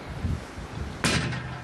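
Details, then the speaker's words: Watchet level crossing gate, West Somerset Railway, early morning: one sharp heavy thud, then a short ringing decay as the gate slams its post; more padding on the posts reduced the noise, but it's still significant and a damaged shock absorber is tied back. "more padding has been fitted around the the gate posts that has reduced the same level from what it was before but it's still significant"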